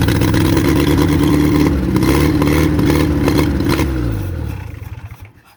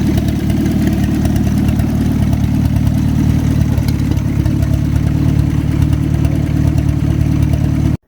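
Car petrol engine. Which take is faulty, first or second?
first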